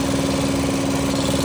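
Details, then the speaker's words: 2012-2018 Ford Focus, codes P0456/P1450, idling: steady hiss and faint even tone as vacuum draws through the disconnected purge valve commanded at 0%, when it should be closed; valve stuck open, replacement needed. "At 0 it should be closed. It shouldn't allow any air or vacuum. It's allowing vacuum through instead."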